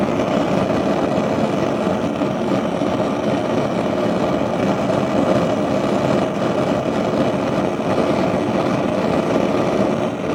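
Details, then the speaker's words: Gas stove burner producing a constant heavy roar with no pulsing that holds the same level throughout. Flames normally don't sound like this; the owner suspects a device used by the tenants below, and the source is unconfirmed. "that's how the flames sound but you know that on the stove the flames don't sound like that"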